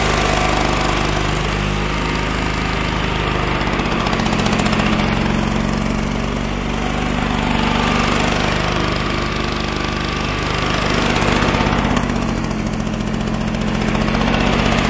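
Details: Flymo L47 two-stroke lawnmower (25:1 mix), bought as a non-runner, running after the tank and springs were refitted: small two-stroke buzzing unevenly, note surging up and down every few seconds; rough running, likely fuelling.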